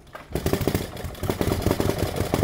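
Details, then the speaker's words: 1949 Harley-Davidson Hydra Glide panhead cold start: lumpy V-twin idle with light metallic tapping from the upper end/rear cylinder, reducing as oil reaches the top. Owner suspects solid lifters and plans pushrod adjustment. Valve train tapping. "but again that was a cold start a little bit of tapping noise out of the rear cylinder actually this noise is starting to reduce something's getting some oil up in the top"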